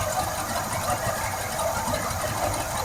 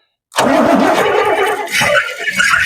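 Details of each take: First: 1971 Cadillac Sedan DeVille big block, parked since 1986, running on fuel poured into the carb: rough uneven chug with some clatter but keeps going; it starts and runs, though not drawing fuel from the carb bowls. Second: Big-block 1971 Cadillac Sedan DeVille, parked since 1986, fires on fuel spilled into the carburettor and runs rough for a couple of seconds, sagging as it burns off; not drawing from the bowl.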